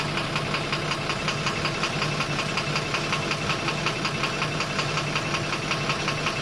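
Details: 12-M FE engine at steady idle with a sharp, regular knock about three per second riding over the engine note; engine knocking, cause not yet pinned down.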